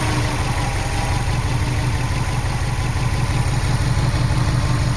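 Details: 2003 Subaru WRX petrol engine idling unevenly with a lumpy low beat after throwing code P0304, cylinder 4 misfire.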